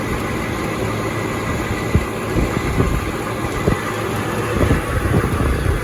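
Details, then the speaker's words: Trane XB100 outdoor AC condenser unit running: steady fan and compressor roar with irregular sharp clicks and ringing rattles at high speed; owner thinks the loose top panel is rattling. "you can see that there's a loud rattle noise to it and i think it's coming from this top and you yeah you can hear it click and it has that loud ringing noise to it when it gets going really fast"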